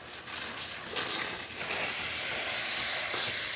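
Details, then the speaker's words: DeLonghi La Specialista espresso machine after grinder unclogging and cleaning, steam wand test once the thermal block reached temperature: strong, even high-pitched hiss with no sputter or gurgle; steaming properly. "excellent steam coming out from the one. Working properly, working great."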